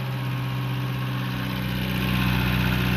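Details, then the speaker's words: Long-sitting Renault LeCar (Renault 5), just revived with choke on; the owner credits the spark plug wires. Steady, even idle with a smooth low beat and no skipped pulses, running on all 4 cylinders; normal idle, though the belts squeal. "Okay, I'm shocked and amazed, but she's running good."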